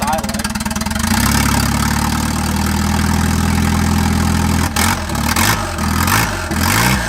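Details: Turbo wagon on a Microsquirt standalone harness, ignition timing fixed at 10 degrees, no exhaust fitted: catches and settles into a smooth, steady idle for a few seconds before cutting off; normal idle.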